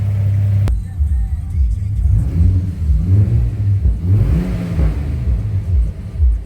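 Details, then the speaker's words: Ford Territory Ghia Turbo (Barra six) with the rear resonator removed from its modified exhaust: deep, throaty rumble swelling and falling with throttle blips, burbling on the way down; loud but healthy exhaust note. "Well, as you can tell, without that rear resonator, it is very deep. It does burble a bit when you give it a rev."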